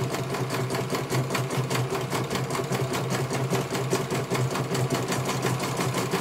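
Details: CNY computer embroidery machine in for service; at first its motor (dinamo) would not turn at all and the bobbin case was missing. Even, rapid needle clatter at roughly two and a half stitches a second over a smooth motor as it finishes one colour; normal stitching, judged very good.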